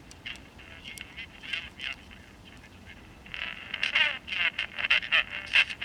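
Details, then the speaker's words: Vintage Emperor Micro AM pocket transistor radio on bench with wires tacked to battery: harsh buzzy squawking in bursts, rough edge on loud peaks; audio distorting, suspected DC bias or transistor issue, not confirmed. "uh no there's a definite bias or transistor issue listen to it"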